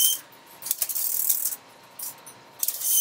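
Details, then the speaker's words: Telephone exchange line finder during an exercise test on the lowest bank: at position 19 it finds tip and ring disconnected, then wipes out and returns home. Bursts of metallic stepping clicks, normal operation. "when it gets to 19 it finds that tip and ring are actually disconnected and it does what it's supposed to do the line finder will wipe out which is you see it returning down to normal"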